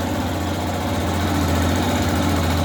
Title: BARULHO NO MOTOR DA FAZER 250. (VÍDEO 3)